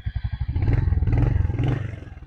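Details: 2023 Royal Enfield Hunter with about 15,000 on the clock; deep, even single-cylinder thump that picks up smoothly with a blip of throttle and settles back; healthy, clean normal running.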